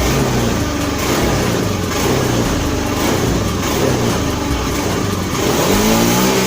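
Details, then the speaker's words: Honda Beat FI scooter, engine cleaned but not yet dismantled, owner reports hesitation and no power on snap throttle; engine roars then stumbles and bogs, rpm hanging instead of climbing; traced to a faulty throttle position sensor. "Oke sekarang kita pelintir gasnya Nah kalau kita gasnya kita gas spontan langsung kumat dia ya"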